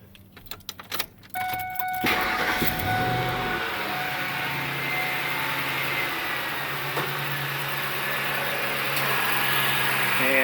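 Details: 2003 Ford F-150 4.6L, after fixing a drive belt squeal that occurred at 1,500–2,000 RPM (power steering pump was moving in and out): cranks, catches and idles evenly with fan and shroud removed, with no belt or pulley squeal.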